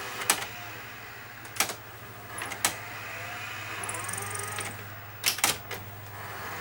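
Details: Sony Betamax slim-line chassis, thought to be an SL-HF300 with its front panel missing: quiet motor whir under sharp clicks and clacks as the tape loads and steps through modes. The loading cycle is normal and the tape plays fine, though the drum bearing sounds slightly noisy, probably from years unused.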